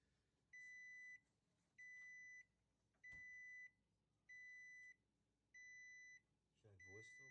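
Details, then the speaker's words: GE range model PB950SF2SS not baking, broil started: six even beeps, each about half a second, repeating every 1.25 s in a quiet room. This is the F20 error code for a failed oven temperature sensor. "see that one beep this was two beeps indicating there's an issue"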